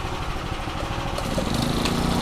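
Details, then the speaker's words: Makita 4-stroke trimmer after fuel system and spark plug work, restarted after switch-off: catches and settles into a steady, even buzzing idle with no misses or surging; ready for the customer. "ตัวนี้ส่งงานไปก่อนนะครับถือว่าแจ่มเลยนะครับตัวนี้นะฮะลูกค้าเอาไปใช้งานได้เลยนะครับใช้งานยาวๆนะครับ"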